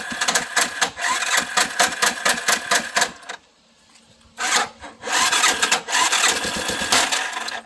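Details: Big Bear that is hard to start: rough, uneven cranking and running with hard metallic tocks, a brief dead stop, then a restart. Metallic tocking noise, hard starting.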